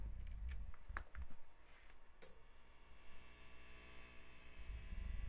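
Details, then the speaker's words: Mid-1970s Marshall JMP Super Lead 100W amp after a recap, idling with the guitar unplugged: only a very faint low hum under a few handling clicks, with no buzz or crackle. "Barely any hum. So that's what a new recap will do."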